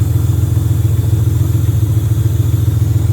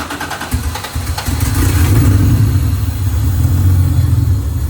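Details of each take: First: J35 V6 sandrail warming at idle as the cooling system burps air bubbles; fuel is old and the fan switch is bad and jumpered. Deep, even idle with no knocks or misses; healthy. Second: J35 RFR two-seat sandrail that wouldn't run, cranked on sprayed starting fluid only. It catches and runs roughly for a few seconds, then sags and dies, showing no fuel delivery.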